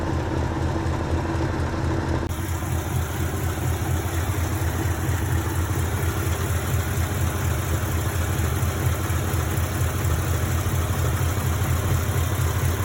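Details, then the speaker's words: 1952 Mercury V8 idling with distributor vacuum line disconnected and capped during timing light test; idle good, owner guesses no vacuum leaks; low, steady even rumble, no misses or knocks; owner notes it feels weak on horsepower when driving. "idle's good, so I guess there's no vacuum leaks."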